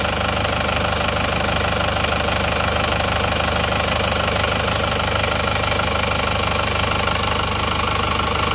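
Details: Isuzu Panther diesel after replacing a blowing engine's liners, comparing original versus aftermarket (KW) pistons: even clatter at a steady idle, about three beats a second, no rough knocking; now smooth, thermostat still not right.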